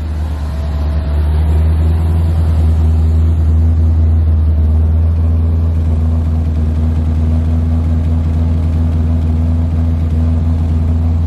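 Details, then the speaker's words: C4 Corvette during TPS adjustment, after replacing the coolant temp sensor and clearing a vacuum leak: after a rev the engine holds a fast, steady drone instead of dropping back down; idle speed stuck high. "so that side is good I'm happy about that now you can see it riing back up to high"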